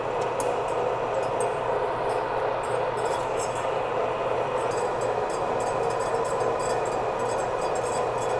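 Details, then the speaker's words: Manual lathe boring 316 stainless steel at 180 RPM, 0.050 in depth (0.025 per side), 0.020 in/rev feed, coolant trickling: steady cutting hum with sharp irregular ticks as the chip curl strikes the plug inside the bore. "I don't know if you can hear it, but our chip, our curl is hitting our butt plug in there."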